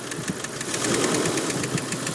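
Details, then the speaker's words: 1992 Jeep Cherokee Laredo 4.0L inline-six at idle: fast, even ticking about six to seven per second that sometimes slows or stops altogether; described as knocking, cause unknown. "trying to figure out what the deal is with this knocking sound uh anybody out there have any ideas let me know yeah sometimes it goes from uh clicking really fast to not clicking as much like it did there and then some once it stopped all together"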